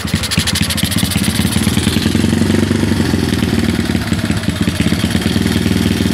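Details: Honda Karisma 150 single-cylinder, just fitted with a type A camshaft and a PWK 28 carburetor, revving with an uneven, lumpy firing note; the carburetor setting is not right yet and needs re-tuning.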